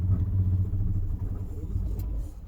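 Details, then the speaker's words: 2005 Nissan Murano towed in with dash lights on: engine catches with a low rumble then dies within seconds, refires and dies again. "but then dies almost immediately um but it'll fire right back up again just like that and then just dies"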